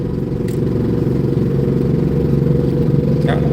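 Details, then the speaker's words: Service truck, 388,000 miles, driving home 38 miles: loud fast sewing-machine clacking about four per second from the rear axle over the rumble, worn ring and pinion, possibly following a long wheel seal leak; engine and transmission fine. "that loud uh sewing machine sound is the rear axle engine's fine transmission's fine truck's running great"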